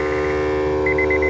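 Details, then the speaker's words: Roadmaster supplemental brake unit under the driver's seat of a 2010 Honda CR-V flat-towed behind a Class C motorhome: a steady low motor hum, then short high beeps as its pulley pulls the brake pedal. Engaging normally. "that's the brake being applied it basically there's a pulley here and it pulls it presses on the brake pedal release the brakes go and that's how it works it's pretty awesome"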